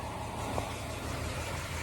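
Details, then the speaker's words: 1964 Ford Ranchero, mostly stock original, cold start a few days after fitting a Pertronix ignition in place of points: steady, even, quiet low idle, no misses or knocks; owner thinks he hears the water pump; normal idle. "This car just impresses me every time. How nice and quiet that is. I think I hear the water pump this time, but there we go."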